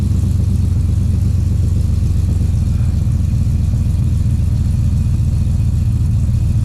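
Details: 2013 Chevrolet Silverado (GMT900) after 6.2L V8 swap, break-in period before break-in oil change: steady, deep, even V8 idle with no ticks, knocks or misses; nice and quiet, holds oil pressure, no problems seen so far.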